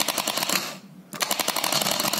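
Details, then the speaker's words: Starter motor on the bench, solenoid with dirty or burnt copper contact plate or possibly shorted winding lacking power to hold: rapid sharp clicking, pausing then resuming; starter solenoid chatter. "esa es una típica fue acerca del contacto del automático ahí va una plancha de cobre"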